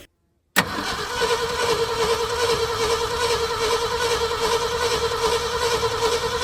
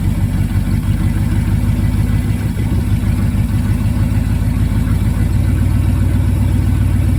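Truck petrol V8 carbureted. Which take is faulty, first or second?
first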